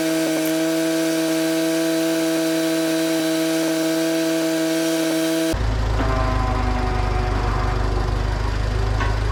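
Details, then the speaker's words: 1964 Clark Clipper forklift after mast cylinder rebuild, lifting the mast: steady high pump whine then rougher noise as the hydraulic pump sucks air; fluid low. "I think we're out of Yeah. Yeah, I hear it. We are out of fluid. I'm going to shut it off."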